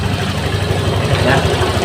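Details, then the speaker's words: Honda Vario 150 injected scooter restarted after the fuel-hungry running was fixed: steady even low putter with no hunting or misses; engine now normal. "kita hidupkan kita hidupan lagi teman-eman langsamnya dia enak terdengar enak ya terdengar enak ya teman-teman Berarti untuk motor ini sudah normal"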